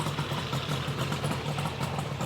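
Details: 1972 Yamaha LS2 100cc two-stroke twin, 784 miles, long stored, first start after carb clean, auxiliary fuel tank, no air box: quick even popping at a steady idle, no misses or rattles; sounds healthy. Normal idle.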